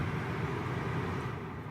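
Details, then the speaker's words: Suzuki Ciaz diesel: steady rushing airflow over a low engine hum, rising as blower speed increases; normal blower noise, no fault. "as you increase this blower the noise increases but it is definitely the blower knife not anything else so you need not to very much"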